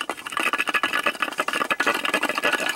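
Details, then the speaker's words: 2002 Chevy Silverado 5.3, rattle sounding like the transmission; one of two catalytic converters has a loose inner core, cut out and replaced: fast, dry metallic rattling as the core shifts inside its shell. "2002 Silverado okay now this thing had a rattle in it really sound like it's comes in transmission"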